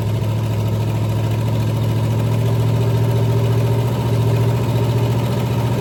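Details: 461 Pontiac stroker V8 first fired on a run stand with open manifolds and a weak run-stand battery: loud, deep, lumpy cammed idle, steady and even without misses or knocks; normal idle.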